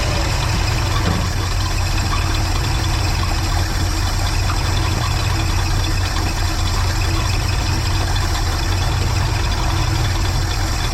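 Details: 1979 Dodge D100 with rebuilt Edelbrock 1406 carb and new choke, warming up after a cold start to check the choke opens: steady, even low rumble at idle with no misses, knocks or hunting.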